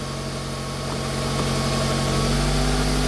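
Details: Smart Fortwo 450 Cabriolet petrol engine at idle, testing air conditioning: steady idle with low even hum; revs lift and hold as the fan and AC load comes on. AC works.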